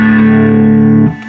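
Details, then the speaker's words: Fender Deville 212 tube amp on clean channel, volume about 2.5: guitar note gritty, fuzzy and chunky, breaking up really early; cause found as failed screen grid resistors (power tubes also replaced) after amp quit. "breaking up really really early"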